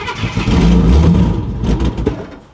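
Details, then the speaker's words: Ford Granada Mk2 2.8 V6, automatic, parked 20+ years, start attempt with fuel poured in: short rough burst of firing, then sags and dies within two seconds. Oil pressure builds; owner thinks it needs more fuel. "So let's wedge this against there. And here we go. Oh, we got fire."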